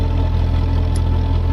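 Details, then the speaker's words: Ford 8N tractor with a Sherman transmission running light oil. Slightly more gear backlash than wanted and no shims fitted. A steady low drone with mild gear hum is a slightly noisy but acceptable, normal gearbox. "I don't have any shims in it at all so I need to look at the back side but it sounds good I I can't really complain it's got light oil in it which makes it a little bit uh"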